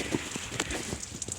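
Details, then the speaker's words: Overheating Pontiac Aztek: crackling, splattering rush of coolant pouring out underneath as water is added. Cause: heater hose snapped off its plastic fitting. "all right so despite the overflow tank being filled the heater itself adding some water into the system and I could hear something just pissing out back there"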